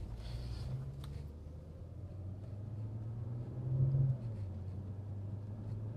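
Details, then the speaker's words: BMW 335i N54 after MFactory 1.5-way LSD upgrade, driving at about 50 km/h: only steady low road rumble, no whine rising with speed; rear differential running quiet. "Cannot hear the diff, it's quiet. That was about 50 kilometers an hour."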